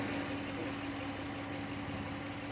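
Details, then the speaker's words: 2017 Audi Q7 3.0 petrol V6 with code P0304 and a dash warning; uneven idle with irregular low-end stumbles and a shaking engine, a cylinder 4 misfire. "voy a prender el carro ahí prendí el carro y en verdad la maquinita s tiembla se siente le pongo la mano y se siente como tiembla la maquinita"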